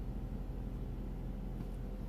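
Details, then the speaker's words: Citroën C2 with no cooling fan issue, during ECU identification/software update: radiator fan kicks on at full speed, steady even rush with no ticking; normal. "I don't know if you can hear but the fun is now kicking"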